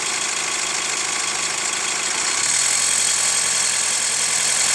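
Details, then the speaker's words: Hyundai ix35 CRDi 136 hp diesel, hot, heard near the wheel: a fast light ticking knock that sharpens with a touch of throttle; hydraulic lifters or chain tensioner suspected, the damper tensioner having been replaced 1.5 years ago; cause unconfirmed. "Интересный эффект возникает, когда чуть-чуть газку добавляешь. Звук как будто становится звонче."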